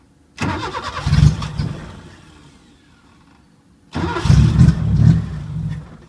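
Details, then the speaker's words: 1980 Chevy Luv, carbureted engine barely run in years, no muffler (straight pipe): fires and runs ragged and uneven about two seconds, dies, restarts and stalls again, can't hold idle. Owner finds carburetor trashed; cause suspected, not confirmed. "ah this carburetor is just trashed up let's see what i've got for carburetors"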